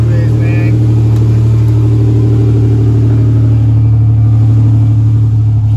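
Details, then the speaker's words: 1986–1987 Buick Grand National/T-type turbo with LS1 MAF just installed and connected; loud steady drone stuck at a raised speed instead of normal idle. Still high idle after the install, cause not yet found. "see if this sounds accelerated still [Music] yes it is man that sucks trying to find out what that issue"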